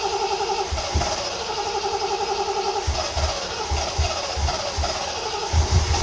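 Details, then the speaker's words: Triumph TR6 with a mystery non-start, cranked after cleaning and regapping the plugs and reassembling the distributor and coil; fuel system priming uncertain. The starter churns the engine in steady pulses with no catch. It cranks but won't start, and fuel delivery is suspected. "sounds like we don't have F"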